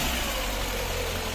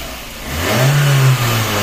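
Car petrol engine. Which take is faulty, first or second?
first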